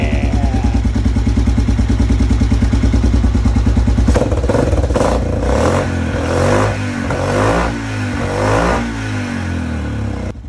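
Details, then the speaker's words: 2007 Yamaha Grizzly 700 that would not idle when warm, after valve adjustment and timing: a steady single-cylinder idle, then clean, crisp throttle blips with no stumbling; it runs healthy, better than it has in a long time. "just because i think this thing sounds awesome i'm gonna let you all listen to it"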